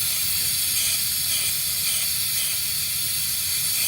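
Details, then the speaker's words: Workshop compressor losing pressure immediately: steady, loud, high hiss with little low rumble from compressed air escaping at a located leak point; vibrating, oscillating running noted before. "So it's immediately dropping pressure. Sounds like Right it's here. coming from Right there. just like that."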